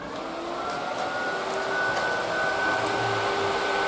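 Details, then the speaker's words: Triumph Spitfire after head gasket failure, ignition on, dummy switch forcing electric cooling fan on: steady whirring hum at even pitch as it spins up and settles; fan working, not the cause. "yeah she's definitely running [Music] so clearly the fan was running yesterday because i had the dummy switch on inside just in case just so i knew peace of mind"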